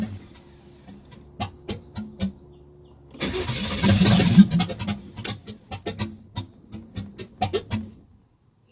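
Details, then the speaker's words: Camaro V8 with open headers after fitting what is thought to be an Edelbrock micro fuel pump, no gas in the car: starter cranks, engine half-catches in a brief rough burst, then sputters and dies; cranking no-start from fuel starvation. "now i have reached the point where it's loosely hooked up and there's no gas in the car so i'm gonna have to remedy that"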